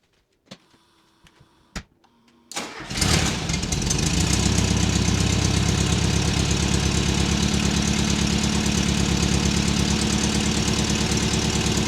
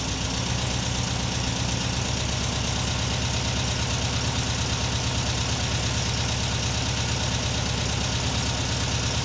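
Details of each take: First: 1979 fuel-injected VW Super Beetle, air-cooled, warmed up: starts and idles with loud raspy chuffing and a couple of revs; exhaust leaks and a rusted original factory muffler, before stainless exhaust upgrade. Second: 1979 US-spec fuel-injected VW Super Beetle convertible, after Vintage Speed stainless exhaust replaced rusted original, mic at bumper then camera: steady, even flat-four idle with deep throaty burble, no misses or knocks; downpipe insulation smoking; normal idle.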